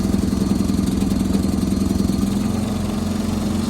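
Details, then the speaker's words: John Deere 214 garden tractor with a 14 hp engine, started on choke after sitting in tall grass: quick even thump from the small single settling into a steady clean idle without misses; normal running. "good sounds [Music] good"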